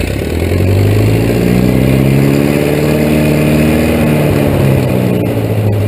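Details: 1941 Case SC tractor, rebuilt engine, no muffler, chain-driven transmission, first start since December 2015, started in 2 cranks: loud even low growl from the open exhaust, steady beat, no misses or knocks; runs well.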